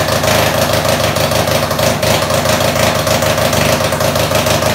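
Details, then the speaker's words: Top alcohol Jr dragster engine, Briggs 5hp base, billet, supercharged, on alcohol, on the dyno just after its build: fast, sharp single-cylinder idle with rapid, fairly steady popping and blower whine; idle sits high, builder is trying to bring it down. "Okay, we're gonna fire this up again. I'm gonna see if I can get idle down just a little bit."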